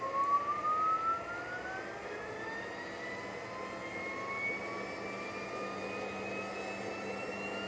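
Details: Porsche 924S EV conversion drive motor, run after a missing fuse was fitted, spinning up toward about 3000 rpm; a clean whine rises steadily in pitch with no rattle or grinding. Normal motor whine.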